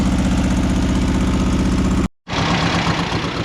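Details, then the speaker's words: VW engine in a dune buggy on a trail ride, run low on oil: rough, lumpy idle with uneven chuffing and a missing pulse; number 3 cylinder not firing and oil pushing past the rings. "number 3 isn't firing anymore. Oil's pushing past the range."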